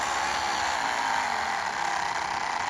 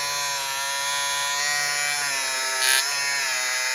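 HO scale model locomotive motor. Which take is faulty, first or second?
first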